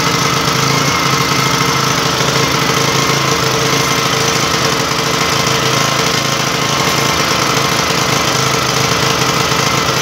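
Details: Yasuka generator engine, long unused, started again after repeated cranking: a loud, steady, even small-engine drone with no misses or surging, so the generator is running smoothly.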